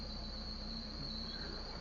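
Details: 1994 Toyota Tercel engine, almost 25 years old: steady high-pitched squeal over a fast even idle from a squeaking drive belt.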